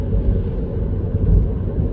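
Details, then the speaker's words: 2022 Mini Cooper SE electric on winter snow tyres: low, steady tread rumble on the road with no engine note underneath; normal snow tyre road noise, unmasked because there is no petrol engine, nothing faulty. "they're quite noisy. Now, we never noticed this in the last car, and all I can put that down to is the fact that the last car had a petrol engine and this has got electric."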